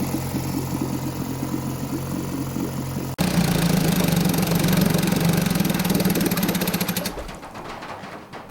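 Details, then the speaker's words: 1952 Johnson Seahorse 5 hp two-stroke outboard, first runs after decades, hard to start: fast uneven stumbling idle about four beats a second that won't go lower; intake gasket leak and weak spark. "unfortunately it wasn't running as well as i would have liked but keep watching this gets better"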